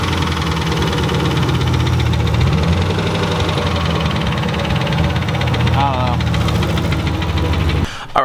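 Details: Turbocharged Ford Mustang Bullitt that hesitated all day, after a hard second-to-third gear pull: deep, uneven knocking under rough, loud idle as revs settle. Engine knocking, rod knock.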